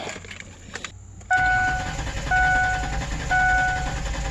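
Even, steady cranking with a regular compression rhythm and a chime beeping about once a second; engine turns over cleanly.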